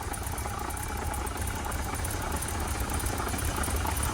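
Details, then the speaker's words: Barn-find BMW 635 CSI that cut out on starting; now runs and revs, fuel pressure reads correct, but idle is still rough, lumpy and uneven with irregular pulses; a leaking fuel pressure regulator is suspected. "I still think we've got a problem with this leaking though fuel press is perfect yeah idle's not good but we'll fix that a bit later on"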